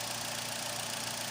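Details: Engine test after replacing fuel pump and regulator O-rings for fuel pressure loss after 3–5 minutes causing hard starting: quiet, steady low hum, even beat, no knocks, misses or hunting; idling smoothly, injectors still possible suspects.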